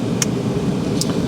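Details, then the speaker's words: Fiat 500 salvage car at running temperature, heater set to 29°C now blowing hot air: even, steady rush of air from the blower with no rattle, squeal or wobble; heater fan running smoothly. "let me just turn this fan down so you can hear me"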